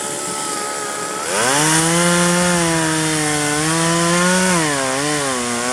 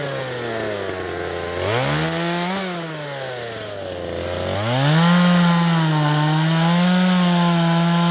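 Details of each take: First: 1997 Poulan 2150 two-stroke chainsaw, about 23 years old, probably a 16-inch bar cutting a roughly 20-inch tree: drops to a steady loaded pitch, wavering and bogging slightly; cut ran at an angle, owner suspects chain sharpened on one side only, alternate teeth dull. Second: 1997 Poulan 2150 chainsaw, 23 years old, owner guesses 2.1 displacement; warm, just run; dull chain cutting box elder tops. Revs crisply, sags slightly biting wood, then holds a steady high note; normal cutting.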